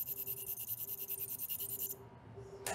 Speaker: when the micro tip is functioning properly you can hear a auditory humming which means that the sonic energy is being imparted